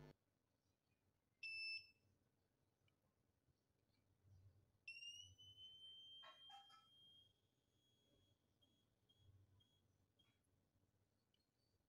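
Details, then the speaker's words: Capacitor rated 10 V, 2200 µF tested with multimeter buzzer after shorting legs: short high beep then long steady tone fading, keeps drawing current; leaky electrolytic capacitor or heavily lost capacitance. "Terdengar suara buzzer seperti terputus-putus. Dia terus menarik arus. Artinya kapasitor ini dalam kondisi bocor atau kehilangan kapasitas yang sangat besar."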